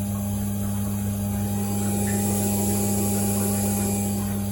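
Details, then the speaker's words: 1997 Jeep Grand Cherokee after fuel pump replacement, key just before start, engine off: steady low electric hum of constant pitch as the new fuel pump primes normally and builds rail pressure. "you can hear it humming away there. I can hear it running. Or you can also touch the top here and feel the mild vibration of the pump running."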